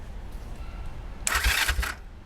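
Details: 1969 Honda CL450 after rebuilding the starter clutch, repairing the start button and replacing the starter solenoid: brief bright starter whir with low thumps over a quiet rumble, stopping after under a second; normal cranking.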